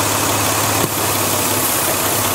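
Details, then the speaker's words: Warm petrol engine idling around 750 rpm with a vacuum line pulled to create a small leak: idle drops and runs slightly rough with a steady intake hiss, then smooths out and rises as O2 sensors compensate. "there yeah I hope you guys can tell but running a little rough the RPM is slower now your o2 sensors are stabilizing the system so there's too much air in the exhaust therefore your computer is not hiding"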